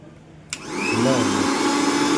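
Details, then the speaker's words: Mixer grinder running after repair: shaft play reduced and screws set and tightened so the bushes no longer rub; a click, then the motor spins up to a steady high whirr with no grinding or rattling, smooth and quiet, noise gone. "अहिले चाहिँ यसमा कुनै पनि sound आइरहेको छैन।"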